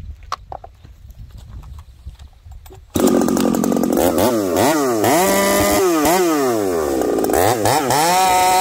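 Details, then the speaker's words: Chainsaw after carb adjustment, making a cut with a freshly spun chain on a new bar: revs scream up then surge and drop instead of holding clean, still sounds rich and breaking up at high speed; owner suspects coil, not confirmed. "still sounds Rich at 5H and still sounds like it's breaking up"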